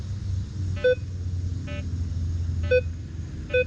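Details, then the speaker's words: Minelab Vanquish 540 with V8 8-inch coil, all-metal mode, sensitivity two steps below max, nickel between iron targets: short mid-pitched target beeps amid iron grunts in both directions; separates target from iron better than V12. "All right, so with the 8-inch coil, we are picking up that nickel in between, getting the grunts and the nickel. And that's in both directions."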